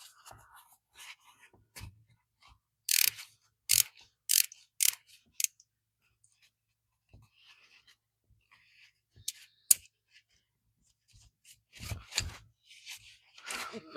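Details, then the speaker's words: Old Bonney R45 ratchet after cleaning with brake cleaner and oiling; it was previously caked with mud, grease and grime and barely audible. Short bursts of crisp, even clicks with handling noise; the pawl catches cleanly and the ratchet works fine. "So, here's the Bonnie R45 all tidied up and Definitely sounds good because before you really couldn't hear anything cuz it was so caked with mud, grease, grime, and everything else."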